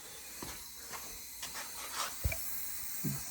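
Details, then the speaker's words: Toyota 20R engine on a leak-down test: faint steady hiss of air escaping the cylinder, with handling clicks. The exhaust valve seat is leaking, and the rings are also not seated properly. "i hear air coming out show you you hear the air coming out of the cylinder that means the valve's leaking the seats leaking"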